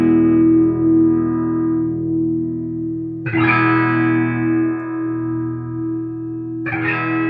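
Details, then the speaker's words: 1965 Fender Deluxe Reverb combo after basic service (grid leak resistors replaced, pots, jacks and sockets cleaned, bias checked near 9 W): clean guitar chords at low volume, no static or scratch in the pots; amp sounds healthy. "So that all sounds good. No static in the [Music] pots."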